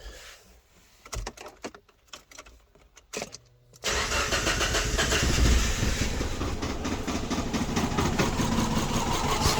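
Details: Subaru Impreza with codes P0301, P0303 and P0038: cranks and catches, then settles into an uneven, stumbling idle with a rhythmic stutter. Misfire at idle, unresolved after unplugging sensors; spark plugs next.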